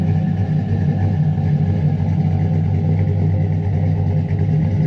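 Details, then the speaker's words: Chevy Silverado 5.3 V8 with BTR stage 2 truck cam, stock torque converter, 4-inch exhaust tips: low choppy loping rumble at idle, steady and strong; healthy cammed idle. "like you can hear it now like come right here that [ __ ] sounds good"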